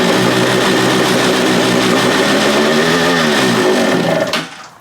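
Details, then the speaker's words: Free stand-up jet ski, two-stroke, on the stand with cooling water hooked up: idles fine, but the raspy buzz wavers and sags when given gas, then dies abruptly. Bog on throttle; cause not yet found. "still doing what it was before, where when I give it gas, it dies."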